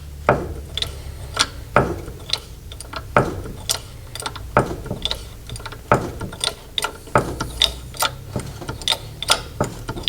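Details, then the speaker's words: MGB-GT with Costello front suspension modification, suspension jacked up: sharp irregular clunks and creaks every half second to second as the shock absorber rubber rubs against a bracket bolt at the back. "I'm jacking up the suspension and that's what you hear, the clunking."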